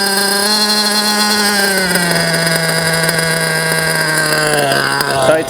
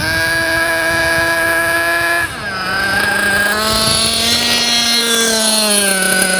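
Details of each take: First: JQ Products THERTR nitro RC engine during break-in after two tanks of idling: high idle is lowered via the idle adjustment, pitch easing into a steady even hum. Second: JQ Products THERTR nitro RC car engine during break-in, after two tanks of idling: buzzes at a high, fast idle, then drops to a lower, steadier idle as the idle is set lower.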